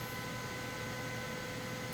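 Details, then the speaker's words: DIY 2560 Wh solar generator with an air fryer plugged in, with its fan kicking on near 800 W: steady, even whoosh with a low hum and no rattle or scrape; the air fryer's own fan is running smoothly. "But at 800 watts, it looks like that's the point where the fan kicks on."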